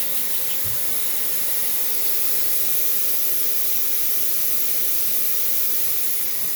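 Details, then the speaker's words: Mopar engine with headers, engine off, a vacuum blowing air up the exhaust pipe. Steady airy hiss at the manifold-to-head joint, with soapy water showing the blow: an exhaust manifold leak at the heads. "obviously at the business end you can hear hopefully over the vacuum in the background you might be able to hear some hissing"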